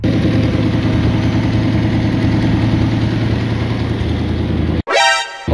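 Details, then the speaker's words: 1978 Ford F100 V8 revived from auction, after setting ignition timing: steady, even low rumble with no misses or knocks, starts easily; small exhaust leak noted. Normal idle. "yeah it's dry it's running pretty good I did the timing on it so uh now it starts up really nicely here"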